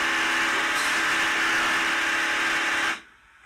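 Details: Creality Ender 3 S1 Pro 3D printer: loud harsh grinding with steady buzz as the Y axis drives past home because the Y-axis limit switch failed; fix is replacing the limit switch.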